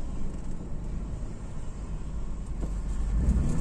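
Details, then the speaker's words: 2013 Toyota FJ Cruiser lacking power, worse when the engine is hot, no trouble codes: uneven low engine note with ragged stumbling beat lacking pull; misfire, suspected from a failing fuel pump dropping pressure. "Yan o. Gumaganon siya. Palyado siya mga tropa."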